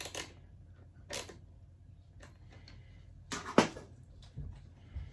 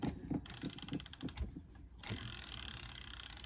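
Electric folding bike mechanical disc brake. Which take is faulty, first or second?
first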